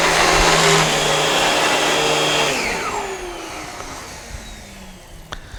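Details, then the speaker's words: Dyson DC17 Animal upright vacuum, about eight years old: harsh rough whirring over the motor roar, present only when the brush roll runs, dying away on spin-down; worn-out brush bar suspected, replaced with new brushbar and belt. "and it also is making a lot more noise and I notice that it's only when it's actually when the brush rollers running I think the thing has just gotten worn out"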